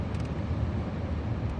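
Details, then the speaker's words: Suzuki Grand Vitara HVAC blower motor that had stopped working, running after repair with the battery on a charger; steady low whirring rumble, no rattle, squeal or scraping, fixed, though ideally the motor would be replaced. "so but looks really good and it looks like we fixed the motor"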